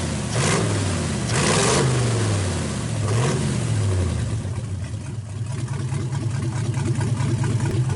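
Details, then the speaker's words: 1931 Ford roadster after fitting a progressive carburetor linkage with brass bushings, idle circuits shut and adjusted, vacuum advance working, fuel lines plumbed: starts, clean throttle blips rise and fall smoothly, settles to even idle without stumble or backfire; runs normally. "So we'll start it up here and let you hear it run. I've got the idle circuits completely shut here. I've got them adjusted here."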